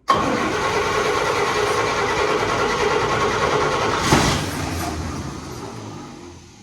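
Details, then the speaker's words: Fire-damaged 1951 Chevy, carburetor leaking heavily: cranks and catches, runs roughly and unevenly for a few seconds, then dies; engine flooded. "It's leaking like crazy. Is it? Yeah, I think the engine's flooded."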